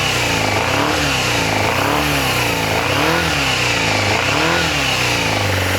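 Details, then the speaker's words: Yamaha FZR400 inline four after carb rebuild kit, new No. 4 carb and battery, on a syringe of fuel with starter solenoid bridged: picks up cleanly and revs freely in smooth blips, no knocks or rattles. Oil smells fuely. Healthy engine. "Yeah, now I've had it run and it doesn't sound like a bag of spanners in a washing machine."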